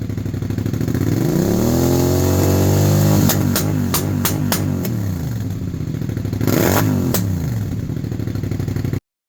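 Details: 2001 Suzuki SV650 twin that sat over winter: uneven revving with sharp popping bursts as revs fall; lean running from carburettors likely blocked by bad fuel, cured by ultrasonic carb cleaning.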